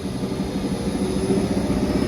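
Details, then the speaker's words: Carrier commercial rooftop unit, not heating before repair, now heating after fixing a misaligned belt/pulley set screw and bad connection: low, rough, gritty wavering rumble under the fan noise; bad bearing, to be replaced. "sounds like dick though sounds like [ __ ] for real looks like a bearing's bad in there so we're gonna write up for the bearing to be replaced"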